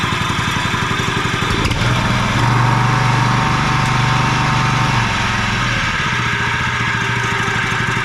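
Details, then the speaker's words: John Deere 14SB walk-behind mower just restarted after sitting, new fuel line and filter, 10W-30 oil: steady running with a thin whirring whine from a dry, worn blade brake clutch bearing (6205), later replaced. "Um, I'm hearing a bearing noise. I I bet you the bearing I don't know if there's one or two bearings for that uh blade clutch, but those sound like they're not doing so good."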